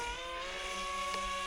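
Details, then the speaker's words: 3D-printed F-22 pusher park jet, V2 airframe, in flight: steady high electric motor whine with faint wavering edge; prop not seated right and running unbalanced. "I'm going to bring it down and check the motor. The prop doesn't sound right. I think it might be unbalanced."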